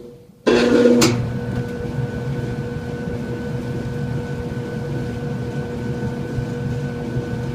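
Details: Kenmore dryer with hard start: loud surge as motor kicks in, then steady droning hum with faint tone as the motor struggles to start.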